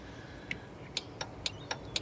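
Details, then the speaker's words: MG ZS EV with a flat 12-volt battery, portable booster clamped on: sharp relay ticks about every quarter second as the hazard warners flash because the alarm triggered once the battery reached voltage; 12 V system wakes up normally. "you can hear some relays. Oh, that's the hazard warners coming on to say the alarm has been triggered because the battery's up to voltage now."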